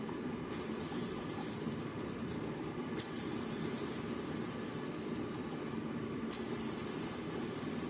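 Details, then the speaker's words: Old NTN clutch release bearing from a Honda CBR600F4i, cleaned and spun by hand: gritty, rasping whir with a low growl, worn; to be replaced with a quieter new bearing with more balls. "помыл подшипник старый который за панский нтн который был установлен в матрасе ну собственно вот послушайте это подшипник который был установлен"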